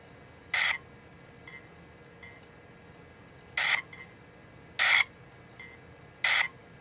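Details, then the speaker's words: Compaq Armada 7770DMT laptop after audio cable replacement, tested through external speakers/headphone jack: harsh, tinny, buzzy chirps; sound card appears faulty, possibly a pre-existing problem. "yeah that's uh that sound card does not sound healthy"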